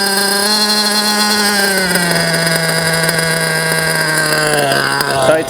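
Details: JQ Products THERTR nitro RC engine during break-in after two tanks of idling: high idle is lowered via the idle adjustment, pitch easing into a steady even hum.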